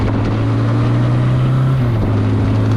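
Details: Suzuki GS850G motorcycle revived after long storage, front brake pads removed to stop dragging: steady low engine drone whose idle creeps up as the handlebars are turned; cause unclear.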